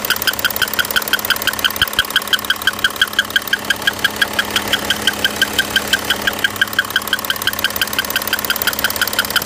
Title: Audi Q7 2011 3.0tdi 239 hp bad engine sound